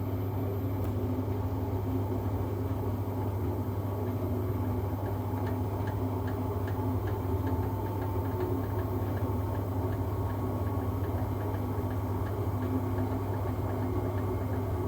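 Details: Siemens washing machine on spin: steady low drum rumble with faint regular ticking knocks on top; owner wonders whether shocks, bearings or the drum spider are at fault, not confirmed.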